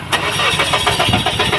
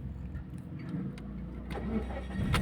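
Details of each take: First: Mazda 3 cranking briskly with an even chug but never firing: low fuel pressure at the engine; fuel filter replaced, then fuel pump assembly replaced as pressure stayed weak. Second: Mazda 3 that cranked but wouldn't start due to low fuel pressure, after replacing the fuel pump assembly and fuel filter: cranks briefly and catches straight away, settling into steady running; normal start.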